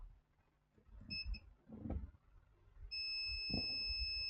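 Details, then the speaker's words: HP ProBook 645 G1 laptop with no power: meter beeps steadily the moment probes touch capacitors on the main 19 V rail, reading zero ohms on both sides; shorted capacitor. "zero ohms the other side of the capacitor zero ohms so yeah this is a very strong shot"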